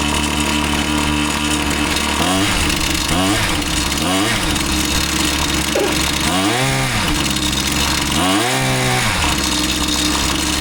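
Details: Husqvarna 525PT5S two-stroke pole saw, previously bogging, on the final run after carb work and a new ignition coil: it revs up cleanly in repeated rising sweeps and holds speed in the cut with no bog; it is running healthy.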